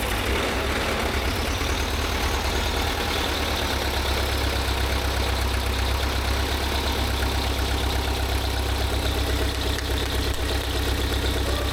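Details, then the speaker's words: VW T3 Syncro with freshly swapped 1.9 TDI, new loom and ECU, first start: steady diesel idle with faint light clatter, attributed to no oil in it and owner suspects dual-mass flywheel catching briefly before going quiet. "It did. Yeah. Bit noise because there's no oil. There was no oil in it."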